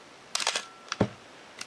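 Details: Canon AE-1 Program 35mm SLR (1981), lens removed, fired at a slow speed around 1/15–1/8 s: crisp clack of mirror and shutter opening, short pause, clean closing snap; shutter healthy.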